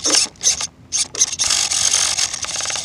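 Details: Modded Pico RC scrub with a sealed-back motor: short bursts of high, gritty ratcheting as the steering works. The steering servo had felt weak, and its gears are slipping and stripped, so the servo is failing.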